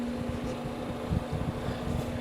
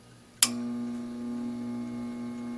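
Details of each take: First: Second, unserviced solder fume extractor fan: a steady low tone with an uneven rumbling purr while running, possibly a dry bearing like the first unit, which needed oiling. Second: All-metal solder fume extractor fan, dry bearing lubricated with 3-in-One oil, started on high: click at switch-on, then a smooth, steady hum slowly rising to speed with no scraping or ticking.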